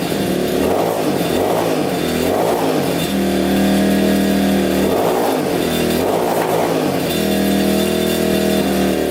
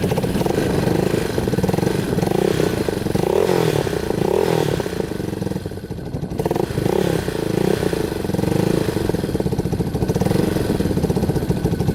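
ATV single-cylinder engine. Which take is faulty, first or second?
first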